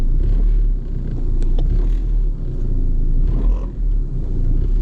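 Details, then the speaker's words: Vehicle in for an AC check, at idle: heavy low rumble with uneven shaking and faint clacks, very vibey; worn motor mounts are suspected. "but i do notice that i do notice it's very vibey if you hear that our motor mounts you hear that"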